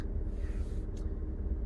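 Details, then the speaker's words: Rover 400, cold engine at idle: a heavy low rumble with a rough, uneven knock underneath, present for 3,000 km. A whining at startup is blamed on the effort to turn the engine over; knock cause unknown. "I wouldn't say tick I would more say knock it's very bad but it's been like this for 3,000 km now in terms of driving"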